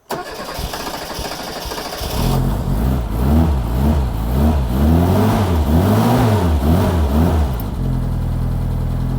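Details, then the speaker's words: Barn-find 1987 Reliant Rialto 2 being started after filling with water: about two seconds of cranking, then it fires, revs swing up and down, and it settles into a steady, even idle. Normal start and rev. "Oh, listen to that. Beautiful. So that is the answer to will it start? That started beautifully."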